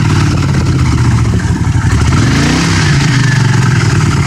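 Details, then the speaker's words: 1982 Honda CX500 Custom with 12,000 miles, first start in over ten years, cold weather. It blips up, then the revs drift back down slowly instead of dropping to idle. Idle hangs slightly from a vacuum leak, possibly at a carb boot. "yeah that kind of hangs there a little bit but it running good"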